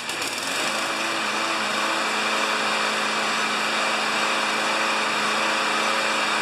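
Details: 6HP Craftsman mower after carburetor reinstalled and fresh gas: steady, even high-pitched buzz at constant speed with no rise and fall; engine running smoothly without surging.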